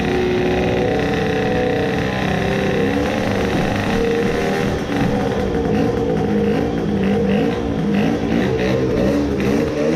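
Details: Tuned 20 hp two-stroke moped engine after crankcase resin filling, first start despite stiff lever: catches and settles into steady even buzz, no knocking or seizing drag; idles normally, perhaps slight grinding noise.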